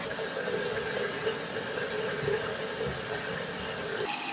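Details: Toilet that hummed throughout the home while filling, after fill valve reinstalled and water supply reopened slowly: soft, steady refill hiss with no humming, buzzing or banging; fill valve working quietly.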